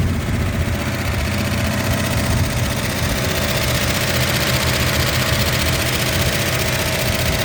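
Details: 1963 Ford Galaxie 500 convertible barn find, 289 V8, first start in 30 years: rough, loud idle with fast, faint top-end clatter over the exhaust note. Valve train ticking; owner hopes lifters are just stuck and may try automatic transmission fluid to free them.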